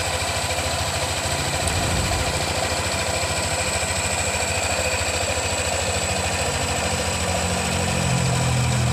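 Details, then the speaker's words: Yamaha NMAX new (155) after replacing the valve rocker arms in the cylinder head: smooth, even idle with a steady low putter, no ticking or tapping; back to normal idle. "Oke jadi suaranya sudah kembali halus seperti semula"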